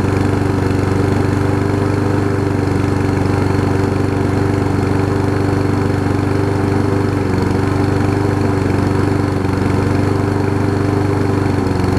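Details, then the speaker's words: Lawn Boy push mower after new replacement carb and blade-stop cable fix, just started, possibly some gas in crankcase: single-cylinder idle drifting up and down instead of holding steady; engine hunting. "it sounds like it's hunting a little bit"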